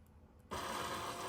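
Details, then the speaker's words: Salvaged Tesla Model S door handle that never worked: quiet, then a thin motor whir that keeps running with no end clunk. The handle motor tries to run but the handle does not present; the cause is unknown. "This one never worked. You can hear the motor trying to run."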